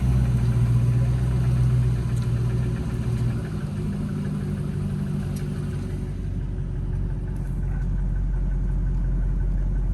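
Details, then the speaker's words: 2014 Jeep Grand Cherokee 5.7 Hemi, not warmed up, 37°F outside after a short drive: low idle rumble with a faint rhythmic knock growing over time; owner suspects lifters/cam, piston slap or rod, unconfirmed. "37 degrees outside i only drove right down the street so it's not warmed up yet you can hear the uh the knocking"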